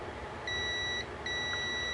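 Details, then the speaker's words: 1997 Honda Recon 250 ATV starter being rebuilt, multimeter on beep setting across armature commutator bars: two clean steady high beeps, about half a second each; windings show continuity, no short to ground, the armature is good and only the brushes need replacing. "i'm going to check all of these comm bars to make sure none of them are making their way to ground anywhere these are all wound together so i should be able to check see if any of these comb bars have lost their continuity"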